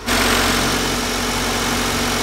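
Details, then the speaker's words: Honda with VTEC bought for £50, started after being completely dead; catches and settles straight into a steady, even idle with no knocks or misses, sounds really healthy: normal idle. "yeah yes oh my god that sounds really healthy"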